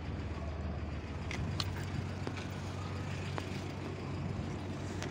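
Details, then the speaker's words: Honda Civic Hybrid idle after replacing the gas cap, previously shaking as if rattling apart; owner suspects the old cap no longer held fuel-system pressure: steady low hum with an even beat, smooth and healthy. "so uh i just had a little hunch and i changed the gas cap and it went perfectly right back to normal sounds good"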